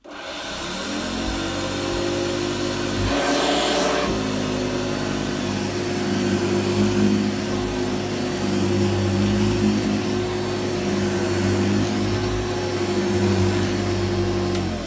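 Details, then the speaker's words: Vintage 1985 Hoover Commercial U7008 upright vacuum switched on at the handle at first run after unboxing; steady, even motor hum with no rattles or grinding, very quiet, quieter than a normal Senior. Running normally. "Runs good. It's very quiet, I have to say, very quiet. Quieter than a normal senior actually."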